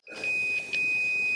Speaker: you should go close to zero volts at zero volts and you should hear the sound of the beep that tells me that i have continuity